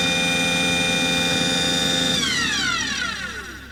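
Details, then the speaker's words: Aquahot 400D RV diesel boiler: a steady burner motor whine and fan hum with no flame roar, then the pitch slides down as the motor cuts off. There is no raw fuel smell. Not lighting. "So apparently it's not firing. I know that it's not firing cuz I don't have any indication. I don't have any smoke or any rumble or anything."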